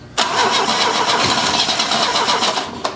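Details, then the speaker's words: 1970 Opel GT barn find, unrun about 30 years, after a carburetor change, with gasoline poured in and the gas pedal down: starter spins fast and even for about three seconds, no firing. Owner suspects the solenoid popping in and out from a partly charged battery. "i think it's the solenoid because the battery's not charged all the way it's popping in and out"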